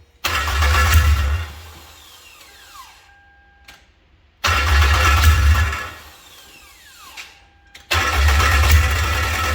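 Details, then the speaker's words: K24-A2 engine swapped into an MR2, first start: catches with a rough burst, runs about a second, then dies, repeatedly; runs only while brake cleaner is sprayed into the intake. Owner suspects fuel delivery problem; starts then stalls. "well it's running but it's uh seems like it's only running whenever i'm um spraying brake clean into the intake so i'm not sure if it's got a problem with the fuel or what's going on with it"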